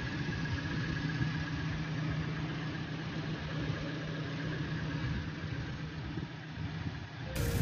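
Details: Petrol Toyota Innova in for a humming noise traced to the alternator, whose silicon rectifier diodes were shorted/burnt and battery not charging; steady even idle with smooth low hum, no growl or whine; running evenly.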